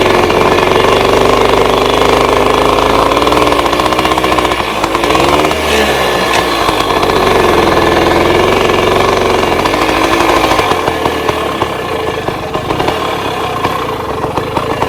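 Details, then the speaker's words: 1966 Bultaco Lobito two-stroke, started after the petcock was opened and the float bowl filled: revs up and sags unevenly, beat stumbling and patchy, misfiring. Owner suspects the spark plug fouled again; bike is rarely ridden. "Oh, it did not like that. What that was, it might have been that fouled again."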